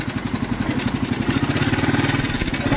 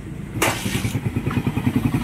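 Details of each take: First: Idling single-cylinder motorcycle: a heavy, rapid clatter and knock with every firing stroke and strong vibration, unusually loud. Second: Motorcycle engine after repair, which had been very noisy before: it starts and settles into a steady, even, quiet idle with no knocking or rattle.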